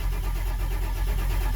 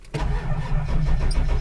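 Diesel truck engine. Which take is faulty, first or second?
first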